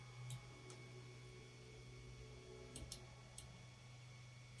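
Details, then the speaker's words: Ender 3 V2 3D printer after modifications: light even ticking and steady low motor hum as carriage moves, no grinding, skipping or the crackling noises it used to make; running normally. "Dur bakalım şimdi ses yok şu anda normalde böyle çıtır çıtır sesler oluyordu bu şekilde çalışıyor"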